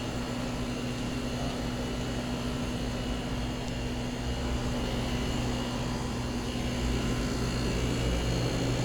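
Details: Midea central air conditioner condenser (Evolution, lower unit) running very loud, with a rough droning hum and steady low tone; abnormal running noise.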